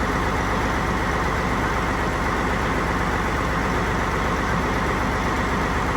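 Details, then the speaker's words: Non-running Peterbilt 379 project truck, diesel started after priming: slightly uneven, loping idle with a little wheel under a low rumble; owner suspects a bit of air in the system, cause unconfirmed. "running a little choppy. It might even I don't know. You hear it? It's got a little wheel in it."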